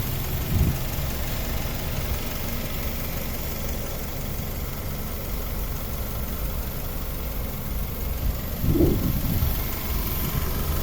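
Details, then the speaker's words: 2002 Honda CR-V Gen 2, 2.0 petrol, automatic, late-100,000s km, warm idle: smooth, even low rumble with no stumbles, misses, knocks or smoke; healthy engine. "นี่ครับคุณลูกค้าเครื่องเงียบมากๆเลยนะครับไม่มีสะดุดนะครับผม"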